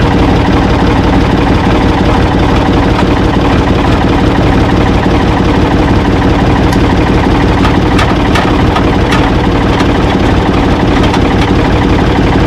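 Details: Ford 445 diesel tractor, owner thinks a 1970s model, restarted with owner aboard: steady, even idle clatter, no missing beats or knocks, a few linkage clicks; engine healthy, though drive quit, owner suspects worn linkage.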